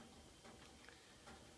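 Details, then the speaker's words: Original 1948–53 American Furnace Company gravity-feed gas furnace heating up: faint, irregular light ticks about every half second from the heat exchanger expanding, about as loud as it gets and audible in the house; normal. "that loud tick was the exchanger that's about as loud as it gets one of those loud clicks you can hear in the house"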